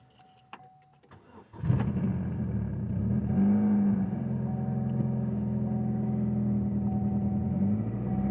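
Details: 2007 Chevy Cobalt after fuel injector replacement for a misfire; petrol engine catches quickly, flares briefly, then settles into a smooth, even idle, repair successful.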